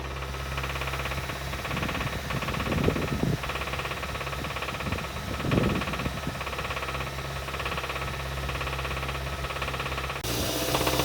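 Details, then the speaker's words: 2015 Kia Sorento 2.4 engine, about 110,000–113,000 miles: idle with light revs gives a steady, deep lower-end rod knock that swells on revving and doesn't change with temperature; P1326 knock sensor code, misfire complaint, won't exceed 20 mph; engine replacement recommended. "light rev up we could hear a lower end rod knock and it would be pretty consistent and wouldn't go away with temperature or anything like that"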